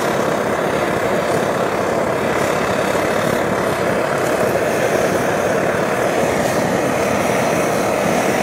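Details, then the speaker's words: Optimus Hiker+ liquid-fuel stove, preheated with alcohol, turned up toward full flame: steady even roar with a faint irregular sputter riding on it; the sputter is normal for these burners. "You can hear the funny noise, that sputtering noise that these burners make, and that's pretty normal. It makes a sputtering noise, and that's not a problem at all."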